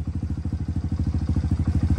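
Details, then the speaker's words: Kawasaki KLX110 with TB cam after valve adjustment and timing, running slightly rich, warming up: crisp even revs with no misses; slight cam noise normal for TB cams, runs well. "And these TB cams are still notorious for having a little noise to them. So that is normal. But other than that, she sounds like she's running pretty good."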